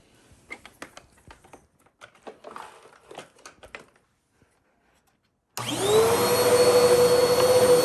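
After some quiet handling, the motor starts, spins up within a second and settles into an even, steady hum: healthy vacuum motor.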